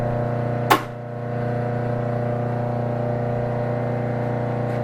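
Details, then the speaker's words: BIRO 3334 commercial meat and bone band saw, 208 V 3-phase, on a three-phase converter: steady low electrical hum with even tone, no knocks or surging; converter running smoothly and normally. "you're going to hear that humming in a minute and then we're going to turn it on show you how smoothly it runs"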